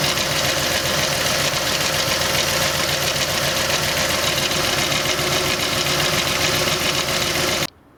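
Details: VW Bora V5 idling with a busy metallic rattle and ticking over the engine. Owner suspects a defective timing chain, unconfirmed; engine rattle at idle.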